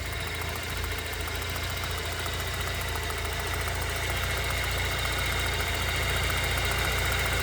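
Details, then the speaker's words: 1989 Ford Tempo coupe idling after replacing all spark plug wires and coil wire, alternator not yet replaced: steady even rumble with consistent low pulse, no stumbling or shudder as before; normal idle. "I don't know if you can hear this at all, but it's really nice and consistent. It's not shuddering like it was before."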